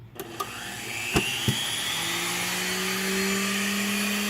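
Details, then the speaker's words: Wood gasifier system blower started to draw on the system for the unfiltered flare: a few clicks, then motor spins up in a rising whine settling to an even smooth note; normal blower run. "okay we're getting ready to start this blower up for the unfiltered flare to get to draw on the system"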